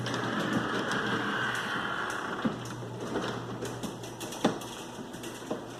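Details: Garage door closing after lubricating the hinges, which made little difference: grinding under steady motor hum with scattered clacks and squeaky rattling.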